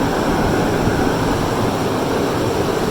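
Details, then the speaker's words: 2006 Lexus LX470 2UZ-FE VVT-i V8 just after rear water bypass gasket coolant-leak repair, still cold: smooth even hum at raised high idle with fan-clutch rush on top, no knocks or misses, no leaks; healthy. "There we can see it's still cool, obviously, so high idle."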